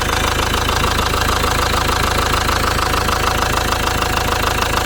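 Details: Ford Transit Mk7 van bought as spares or repairs, idling with rocker cover off; sharp even knock about three times a second from the top end, where bent valvetrain parts were found, cam possibly bent.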